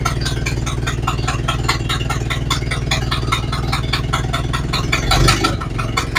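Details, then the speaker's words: Ford Model A after new parts, started following about four months sitting, valve set about a third open. Steady, even low chuff at a relaxed idle with a light, regular tick and no stumbles; it started right up and ran well apart from a leaky exhaust. "okay okay so that went well started right up ran good"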